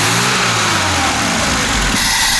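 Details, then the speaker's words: VAZ 2107 carburetor engine after idle mixture adjustment, revving with a steady airy hiss as the throttle opens that stops when the throttle is released. This is the idle economizer (EPKhKh) valve working normally. "когда бросаю газ Не шипит О чём это говорит говорит о том что экономайзер выключал холостой ход"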